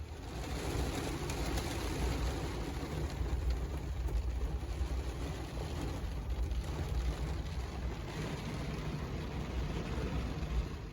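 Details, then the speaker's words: Owner's truck while driving after a repair that cured belt squeal and whirring noises. Even low engine drone under road noise with no squeal or whir from the belts; engine and belts sound normal. "But yeah, it's definitely quieter. There's no more belt squeal. There's no more whir noises. It's, yeah, crazy how quiet my truck is."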